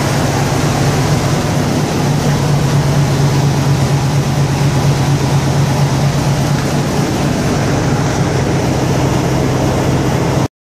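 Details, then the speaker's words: 1995 Chevy K1500 with 350 V8, garage-kept, cold start at -30° with -50 windchill: steady even low rumble with no knocks or misses settling into idle. "Looks like you can depend on your Chevy 350 at 30 below zero, even though it was kept in the garage, but it's still cold outside."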